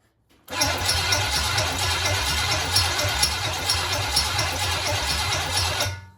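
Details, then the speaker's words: 1966 Chevelle small-block Chevy barn find, sat for years, carburetor bowl filled and flooding: steady starter cranking at about five pulses a second, engine never fires. Crank, no start; owner suspects no spark. "Nothing. Looks like she ain't getting no spark. She's trying."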